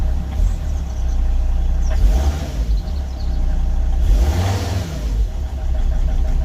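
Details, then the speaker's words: 2003 Volvo XC90 D5 diesel running on four cylinders: after a throttle blip the idle turns lumpy with irregular low thumps. A restart or a brief 3,500–4,000 rpm rev restores normal idle; misfire from a leaking injector. "But again, if I touch the throttle again now, it'll start misfiring."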